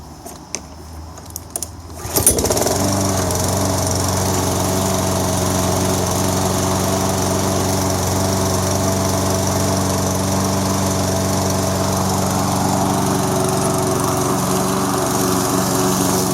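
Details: Toro SR4 Super Recycler mower, 159cc engine, after cleaning debris from the carburetor to cure surging: starts after a few clicks and idles evenly without surging; owner may add a fuel filter.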